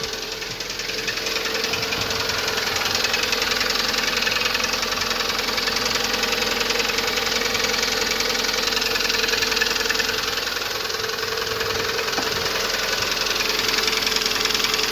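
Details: Lada Priora 2170 petrol engine at idle: steady, quick knock at about three to four beats a second. Hydraulic lifters were already replaced without effect. Owner suspects the camshaft rather than the pistons because the engine burns no oil. Unconfirmed.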